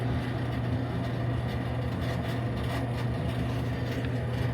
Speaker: I think it's good. I didn't record the noise it was making before, but uh it definitely sounds good now compared to to how it was sounding.